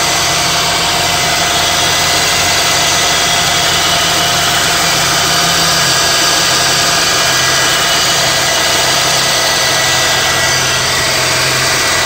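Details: 2002–2005 EP3 Honda Civic Si at idle: constant hissy whir with an uneven rough ripple over the engine, from a bad water pump pulley.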